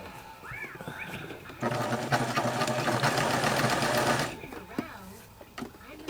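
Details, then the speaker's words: Sewing machine runs about four strokes a second with a thin squeak over the clatter. Owner says it squeaks way too much and fears it will seize. Sewing machine squeak. "So, anyway, because this thing is just squeaking way too much. I don't like it. It scares me. I'm afraid something's just going to seize up on me."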